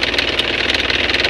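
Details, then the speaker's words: Isuzu Panther 2.5 diesel with messy, neglected fuel lines, won't hold idle after starting and shakes heavily; uneven stumbling clatter with irregular pulses, rough idle from fuel starvation, fuel system to be repaired. "mobil ini ketika kita starter Tidak mau langsam Tidak mau posisi idle jadi seperti tekor minyak Jadi bukan jualan saja yang pakai tekor minyak bisa tekor kita coba untuk hidupin posisi mobil ketika ide itu sangat bergetar"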